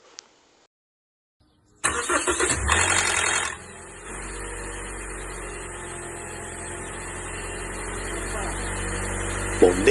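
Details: Engine's first start after sitting, e.g. overnight: a loud metallic clatter for about two seconds, then an even idle. A cold-start rattle; possible causes named are the variable cam pulley or the timing chain tensioner, not confirmed.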